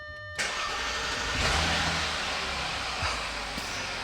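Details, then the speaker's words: Junkyard-rescued supercharged Audi A6, started on a jump starter: quick crank, catches cleanly and settles into an even, quiet idle with no timing chain rattle, only fan noise; healthy start. "That is much, much better. So much better. Purrs like a kitten. Okay. Now, these are the engine noises we want to hear. Outside of the fan noise, this thing sounds beautiful."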